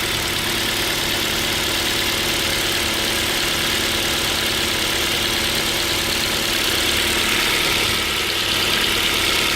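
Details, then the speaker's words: Ford Focus 2 with 2.0 Duratec HE engine warming from cold idle: light, uneven knock about three a second under a hissy idle, appearing near 33–34 °C and fading as it warms; resembles piston-pin knock, cause undetermined. "Там стук появился. Возможно, слышно будет, и звук напоминает стук пальцев."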